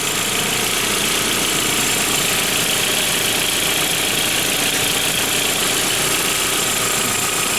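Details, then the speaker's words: 1999 VW Passat GLS 1.8L L4 turbo after a water pump replacement: the engine runs at a steady, even idle with a smooth hiss and no knocking or ticking. Normal idle. "She's a-running."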